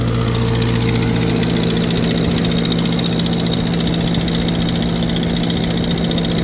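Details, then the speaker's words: Farmall 350 tractor on PTO dyno under load: sharp puffing tick on the exhaust beat from a cracked exhaust manifold previously patched with JB Weld; owner also suspects a slight miss. "Yeah, you can really hear it that it's the exhaust manifold's got a crack in it. They tried to JB weld it."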